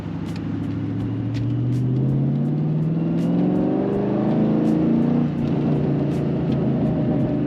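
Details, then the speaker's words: Mustang 2-valve V8 accelerating in first gear pulls up the revs, then stumbles with a brief drop and uneven beat partway up: a misfire under load. "First gear. Oh, we got misfire. Yep. And we're misfiring again."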